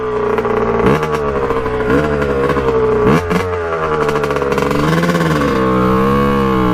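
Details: 1989 Kawasaki KX125 two-stroke, pilot jet cleaned earlier, first ride after warm-up: revs climb then break into thudding, stuttering boom-boom at top end instead of a clean scream; owner thinks really lean, will check power valves; cause unconfirmed.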